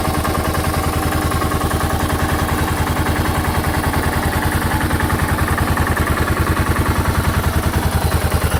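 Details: 2006 Suzuki S40 Boulevard (LS650 Savage) 650cc single-cylinder motorcycle at just under 4,000 miles, idling: rapid regular knock keeping time with the engine; owner attributes it to piston slap.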